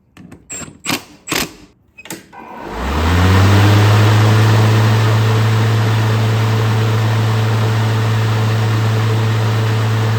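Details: Craftsman V60 electric lawnmower after replacing the worn plastic fan that caused a loud racket on startup: a few clicks, then the motor spins up to a steady, even hum with no rattle or scraping.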